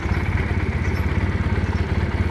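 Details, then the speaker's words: Honda Rebel 150cc liquid-cooled twin motorcycle, single carburetor fitted instead of two; idles smoothly with a low even pulsing beat, no ticking, knocking or misfires. "Nổ cực kỳ êm, một bình xăng là nó đều hơn, chạy nó ít thôi xăng hơn."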